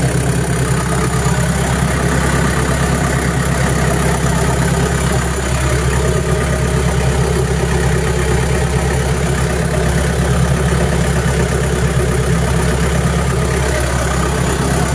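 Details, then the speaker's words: Diesel engine previously reported for blue/white exhaust smoke and stalling, now idling after the fix. A steady, even chug that holds its speed with stable RPM, no hunting, no blue smoke, and the pump working. Healthy idle. "so no blue smoke or rice smoke on the exhaust Spice and the engine is a RPM is stable and pump is also"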